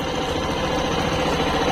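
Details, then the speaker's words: Suzuki Burgman Street EX 125 scooter, about 1,800 km, cold start; soft, even single-cylinder idle with a steady hum and no ticking or rattles; owner says it gets noisy when hot; normal cold idle. "Teksturnya tetap lembut meskipun dingin. Oke, mari kita mulai dengan satu sentuhan. Oke. Jadi, saat mesin dingin, putarannya tetap halus."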